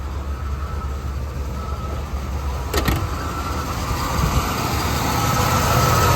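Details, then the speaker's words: 1978 Buick Electra V8 after a carburetor overhaul, hot day, adjusted half a turn twice, put in gear: idle sags and surges near stalling; owner considers a new coil, and the exhaust smells bad. "See, it shouldn't fall flat on its face like that. It's a hot day. There's no need for it to stall."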